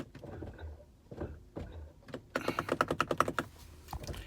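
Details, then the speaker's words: 2020 Ford Explorer ST with a random no-start (three times in six months, despite a new battery and new fob batteries, sometimes showing "No Key Fob Detected"): about ten sharp clicks with no cranking while the lights flash. It later started. "keys are here hit the start my lights are flashing outside you can see them on the wall car won't"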